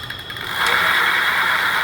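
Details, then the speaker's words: Rad City e-bike with the rear wheel lifted, a little throttle given: a smooth, steady whir with a faint high tone from the rear hub motor, no grinding or knocking. Normal motor run. "Just a little bit to start. Now I don't hear anything."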